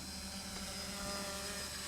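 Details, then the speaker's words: Smaller quadcopter with NAZA Lite flight controller, in slightly breezy conditions: even high buzzing prop whine at steady pitch without surging; motors running smoothly in a stable hover. "you can see smooth no issues it hangs here by itself it's very smooth"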